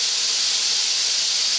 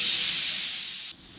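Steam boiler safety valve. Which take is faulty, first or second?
first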